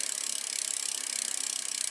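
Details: 2012 Trek Navigator 2.0 after rear hub and gear assembly (freewheel) replacement: fast, even ticking from the spinning rear wheel, crisp and regular with no grinding or roughness; the freewheel sounds healthy.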